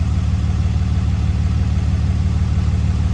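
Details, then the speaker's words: 2006 Dodge Cummins 2500 Megacab diesel after a fuel injection pressure regulator fix, CTS3 tuner and 100 hp injectors, with fuel pressure codes still stored: steady, even low idle clatter at about three beats a second with no misses; idling fine. "so well i have to turn off your truck to clear those but is idling fine"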